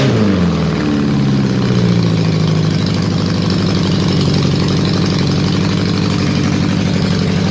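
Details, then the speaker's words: Honda CB750 four-cylinder restoration; settles from a blip to an uneven, lumpy idle with a stumbling beat; number 4 exhaust cold, ignition ruled out, fuel present in the carb, owner also suspects a vacuum leak; number 4 cylinder dead. "Right, we know the issue is not the ignition because number 1 is firing. It's number 4 that's playing up."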